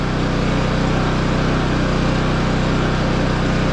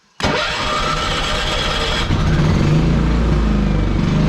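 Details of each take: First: 11-year-old Champion generator running a window air conditioner (about a sixth of capacity) with eco mode off: even, unchanging drone and steady low hum, no surging or hunting; runs steady, though louder than before, muffler internals and spark arrestor suspected blown out. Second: Champion generator, about 11 years old, fully warmed up: small engine drone rising and falling in slow irregular swells; idle hunting, still gives steady power; owner suspects carburetor or wear, not confirmed.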